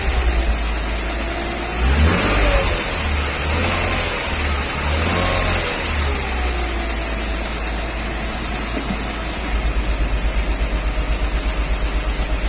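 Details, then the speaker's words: 1994 Mercedes G320, Japan import, held fast idle with injectors cut one by one: steady light metallic ticking, quietest with cylinder 2 unplugged; worse cold, quieter warm; piston knock suspected, not like a rod knock. "It's a light metallic tick, not like a rod knock, but anything's possible."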